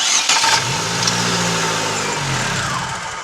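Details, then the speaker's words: 2009 Chevrolet Agile 1.4 cranking: brief tinny metallic scrape from the starter motor, like a can rattling, sometimes louder; starter found with no defective parts but very dried out, fixed by lubrication. "mas é um barulho ela ele raspar como se fosse uma latinha fazendo barulho só que tem hora que esse barulho fica mais alto"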